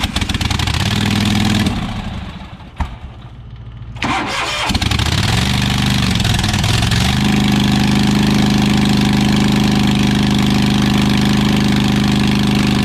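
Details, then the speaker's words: New Holland LS140 skid steer, about 2.5 years old, cold start after sitting 2 months, hard cold starting since last spring: cranks, catches, then a loud blatty popping idle with a raw open bark. Exhaust broken in two spots. Exhaust leak. "of course it sounds like a race car because the exhaust is broken in both spots one spot probably went and the other spot"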